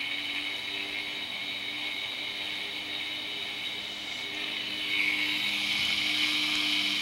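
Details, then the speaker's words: HeathKit IG-72 audio generator motor driven from about 10 Hz upward, passing 517 rpm toward 60 Hz: high-pitched hiss and rattle from noisy worn motor bearings, growing faster as the motor speeds up. "you can hear as i bring it up you can hear the motors noisy bearings speed up as"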